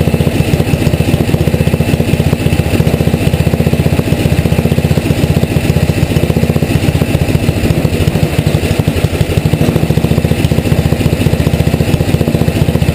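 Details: Tecumseh HM80 engine, relatively warm, choke off, after carburetor needle adjustment to one turn out from seated; steady fast pulsing idle around three beats per second, no hunting or surging; healthy.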